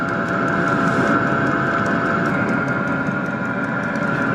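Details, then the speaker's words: Cheap diesel interior/engine heater on VW T4 Syncro van running at full power: steady even whirr with regular pump ticking, no smoke; heater box stays only slightly warm, normal full-power running. "So now we run it with the full power, and this box stays nice and not hot and little bit warm in here, this rear end, but the front end is cold."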